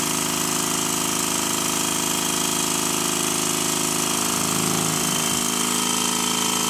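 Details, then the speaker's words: Rebuilt Stuart 10V steam engine running fast on compressed air, externally lubricated, after fixing tight spot at bottom of stroke: quick, crisp, even exhaust beats about three per second, no knocks or misses; runs smoothly. "fast as you've just heard it does sound rather nice here it is running slowly and it's almost silent"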